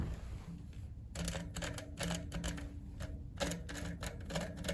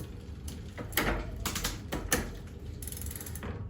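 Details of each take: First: Specialized FatBoy fat bike rear hub, axle turned by hand with the cassette removed: gritty, uneven clicking from dirty, rough bearings. The hub is to be disassembled and the bearings cleaned. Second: Specialized Fat Boy fat bike after straightening the bent derailleur hanger and adjusting the barrel adjuster: light freewheel ticking, crisp shift clicks, quiet chain; drivetrain running and shifting cleanly.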